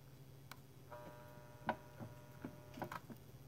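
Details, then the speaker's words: Keurig K150P brewer with suspected faulty board: solenoid valve unplugged and replugged gives a steady buzzing hum with a few sharp clicks instead of closing cleanly; valve sticking from some hang-up inside. "sounds like it's stuck again like it was the other day you can hear it and it there it is it closed up so there's some hang up in there that's causing the valve to get stuck"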